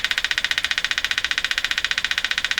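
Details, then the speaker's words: Arvin 444A four-tube steel-case radio on the bench, signal injected at 455 kHz: sharp even machine-gun pulses about eleven a second over hiss; rhythmic interference, suspected to come from outside the radio, not confirmed. "just turn down the machine gun here and I'm pretty sure that's interference coming from outside the radio"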